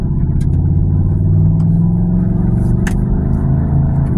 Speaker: Granddaddy sound really crazy, don't he? And that's all due to the exhaust leak, y'all.